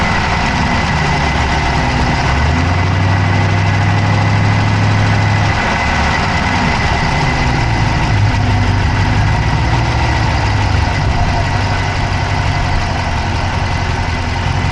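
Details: Dodge Charger Hemi V8 at idle, camera (Insta360 Go3) inside the engine bay on the passenger side: rapid, slightly uneven clicking about three to four per second over steady idle; ticking with no known cause.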